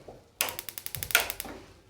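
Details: Racold gas geyser running on a 2-cell 3 V battery box with a single lighter: a quick run of about a dozen sharp igniter ticks at roughly ten a second, then a relay click a few seconds later; igniter and relays are working normally.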